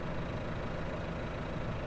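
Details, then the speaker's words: 2018 Case IH Farmall 120C tractor, 120 hp diesel with cab and loader, heard from inside the cab: low steady idle, even beat without misses or knocks; healthy engine purring nicely. "that's the sound of case IH power at its finest it's a 2018 model 120 horsepower"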